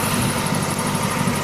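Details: 1999 Mustang GT: steady engine drone with fast faint tick and thin squeal following rpm, quieter at open hood than beside the car; owner first suspected a lifter, origin undetermined.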